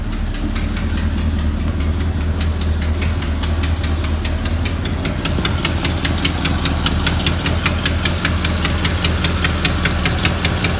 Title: Chevy 350 engine ticking noise 2